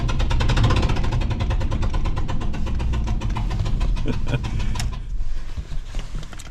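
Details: 2005 Ford F-150 V8 with number 3 spark plug blown out of the cylinder head, threads damaged; running rough with popping and puffing from the empty plug hole while driven into the shop.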